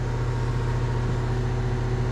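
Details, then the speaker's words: Goodman heat pump condenser fan motor, recently replaced, likely with a factory part, after the old one grew loud at shutdown and was failing. A steady, even low hum with no scraping, ticking or wobble shows it is running normally. "So he come out and put a new, I think he just went and got the factory replacement condenser motor, so it seems to be running well."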